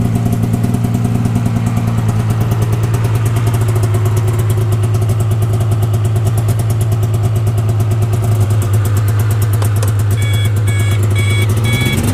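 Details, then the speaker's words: 1992 Yamaha Venture XL VT480 snowmobile, cold start with choke; over loud lumpy cold two-stroke idle a high pulsing beep begins, reverse backup alarm now working after WD-40 and tapping with a hammer; backup alarm working. "the backup alarm didn't work so i shot some wd-40 in there and tapped on it with a hammer and eventually got it to start working"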